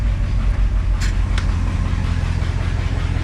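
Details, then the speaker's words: 1972 International 1110 pickup, IH 345 V8 with new Holley 2-barrel carb, fires right up: deep steady rumble through glass packs and a holed exhaust, no misses or knocks; runs pretty good. "it sounds pretty good actually it's got glass packs on it there's holes all throughout the exhaust it actually runs pretty darn good"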